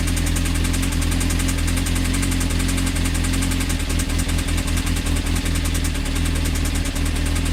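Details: Honda CBR engine at idle: sharp regular tapping about once per second, hard internal knock, cause unconfirmed; advice: stop running, pull oil pan and check connecting rods for play on crank.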